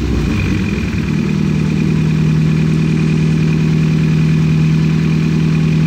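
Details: Nissan 240SX S13 after a leaky injector was removed, O-ring found intact, relubed and refitted: engine catches and settles into a smooth, even idle with a steady low drone, no misfire or stumble.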